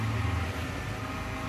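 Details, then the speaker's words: BMW X5 E53 3.0d M57 diesel, key off: Webasto auxiliary heater combustion air blower runs constantly with steady hum and faint whine, dipping when intake squeezed; internal short keeps it on, draining battery. "it feels warm to the touch and we can hear it constantly running the combustion air quality which is inside of the unit"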